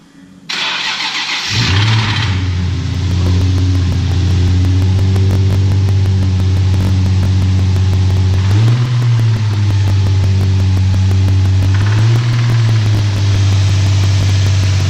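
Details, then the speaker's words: 2008 Nissan 350Z: it cranks, catches and idles with a steady deep knock about four times a second; suspected rod knock, with a replacement used motor being considered. "so what do you think it's a it's a road knock yeah yeah"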